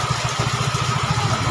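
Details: Yamaha Mio 125 scooter with valves set loose as required, in rain: short burst of quick, even pulses with no clatter or knock; smooth, healthy idle.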